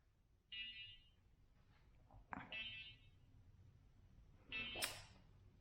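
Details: ShiFT Red drone after battery removed and refitted and controller switched on: high single beep about every two seconds with handling clicks between; warning tone, only one propeller spinning afterward, needing reset; cause not clear.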